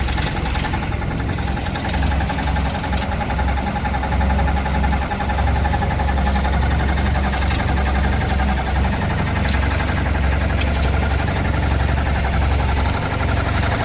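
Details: Mercruiser 140 marine engine at rough, lumpy idle with a thin steady whine from the bellhousing at the back of the engine; persists with belt removed; owner suspects starter dragging or gimbal bearing.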